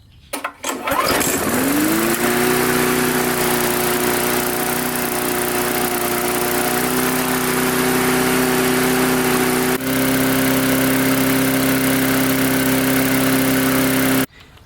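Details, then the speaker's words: Mid-2000s MTD push mower, Chinese-made engine, carburetor just refitted and primed. Pull start, then a steady smooth drone settling slightly fast; springs may need adjusting, and smoke is coming off the engine (possible mouse nest under the cover). "it actually seems to run pretty well I'll be at a little bit fast I think I need to adjust some of the springs in here"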